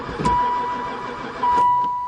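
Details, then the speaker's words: Van that sat about four years and barely ran before, cranking after fuel dumped in the intake: starter whirs steadily but the engine never fires; owner suspects no spark, unconfirmed. "I wonder if it's got any Spark [Music] don't seem like it never fired once"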